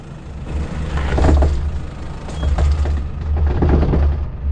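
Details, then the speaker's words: 4WD on the rutted Old Telegraph Track, Cape York, crawling down over deep ruts, volume turned up: deep rubbing groans come and go as the suspension works; tyre rubbing on the wheel guard. "Going down here, you'll clearly be able to hear the tyre rubbing on the guard, so I turned up the volume so you'll be able to hear it more clearly."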